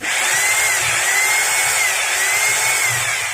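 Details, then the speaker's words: Maktec MT870 rotary hammer that won't hammer-drill, tested in hammer mode after a first repair attempt: smooth, steady high motor whine with no pounding impacts, sound unchanged, so the fault lies elsewhere. "ya dan bisa kalian dengar sendiri untuk suaranya tidak ada perubahan berarti kerusakannya bukan dari sini"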